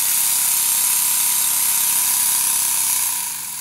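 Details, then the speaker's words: Stuart Models Double 10V twin-cylinder model steam engine run on compressed air on the bench after valve timing and eccentric sheave repair; quick even exhaust chuffing about 220 beats a minute over airy hiss, stunning regulator response, quieter when lifted off the bench. "you will have noticed two things here first of all the response to the regulator was stunning and the second one was when i lifted it off the bench it became very quiet because as i mentioned earlier my bench is a sound soundboard"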